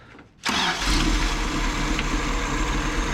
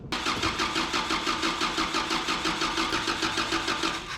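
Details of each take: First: 1984 Toyota dually petrol engine, with spark restored, earlier running rough as a three-cylinder with number one misfiring; now running on all four cylinders at a steady, even idle, much better. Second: 1984 Toyota dually pickup after a swap to a Weber carburetor with fuel supply and return lines hooked up: even starter cranking at about three beats a second for four seconds that never fires; no fuel is reaching the carburetor.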